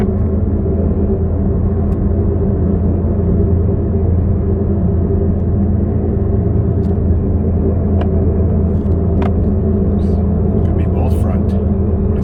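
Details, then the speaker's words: 2015 Ford Focus, 128,000 km, manual, driving at road speed: steady low hum and rumble with no rhythm, heard during a left turn; a noisy front wheel bearing, suspected right front. "it's got a noisy wheel bearing so we're gonna and this is a standard so I have to uh pause recording until we get to the speed all right sounds like it's from the right front left turn"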